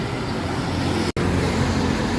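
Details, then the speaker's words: Rusi Royal motorcycle test ride after fixing the noisy rear axle bearing found in the gearbox and refilling gear oil: steady engine and road noise, no growl or whine from rear wheel; bearing now quiet. "Na Boss Tim, okay na, wala nang ingay. Wala yan. Wala na. Yan guys, okay na yung ginawa namin na may maingay sa kanyang axle bearing sa hulyan guys."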